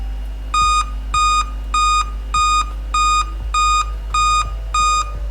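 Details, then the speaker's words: Dell Inspiron 3542/3543 laptop sent in as no-power, board now powering on with a speaker connected: clear high beeps in steady groups of about eight, evenly spaced, over a quiet fan. Eight-beep code means a display fault. "Oh 8 beep කියන්නේ යාළුවනේ display එක."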